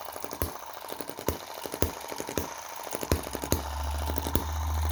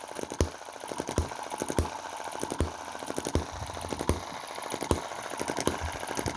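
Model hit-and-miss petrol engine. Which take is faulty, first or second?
second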